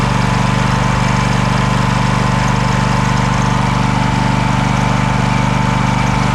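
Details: Craftsman DYS4500 riding mower, 26 hp Kohler Courage engine, revived after sitting over a year; steady low thump holding one speed, no misses or knocks; smoking a little but runs well; normal running, needs new fuel cap and fuel line.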